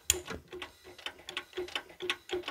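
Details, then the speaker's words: Honda Accord engine turned by hand with spark plug out: sharp metallic clacks, three or four a second, from the valve train on the cylinder three intake cam; owner suspects a detached valve seat ring dropping onto the valve, not a rod bearing. "siitä tulee se ääni. Sieltä tippuu luultavasti seetirengas siihen venttiilin päälle aina ja tota tai joku vastaava tämmöinen,"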